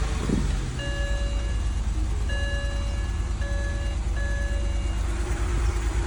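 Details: 2006 BMW 325i E90 start-up after replacing all six spark plugs and one coil: a steady low idle with a repeating warning chime, no misfire or ticking. A little smoke appears, and oil leaks were found.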